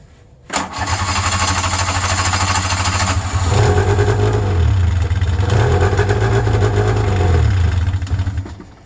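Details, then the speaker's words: Electric-start EXT snowmobile restarted on a cold 28°F morning. Catches at once, then settles into a fast, buzzy, slightly wavering high idle like the 700, smoking; normal cold two-stroke high idle. "it sounds sounding just like the 700 that just means that it's cold they gotta get there"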